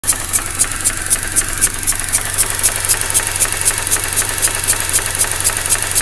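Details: 2004 Mazda RX8, 110,000 km, rotary: very rough idle, power loss, sharp suction hiss pulsing about 240 times a minute from behind upper intake manifold; coils ruled out.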